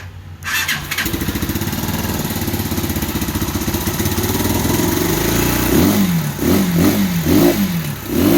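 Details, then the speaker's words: 2015 Bashan Storm 250 single cylinder starts and runs, then surges unevenly and keeps cutting out; owner suspects a bad corroded spark plug, possibly wiring, unconfirmed. "so i believe the spark plug is just really bad that's why it keeps kicking out like that"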